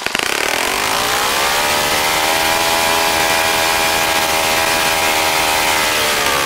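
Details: Saito FA-65 model four-stroke on its first run after rebuild, APC 12x6 prop, Morgan's Omega 10% fuel, Fox Miracle plug, heavily primed to start; winds up cleanly to a high steady buzzing scream, holds without sagging or sputtering; normal running at full throttle.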